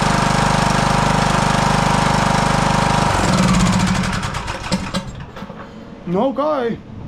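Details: Husqvarna YTH18542 riding mower, 18.5hp Briggs & Stratton Intek single-cylinder that died during use: after a new NGK spark plug, it runs steady with an even, fast firing beat for three seconds, then shuts down; running fine again, engine slightly warm.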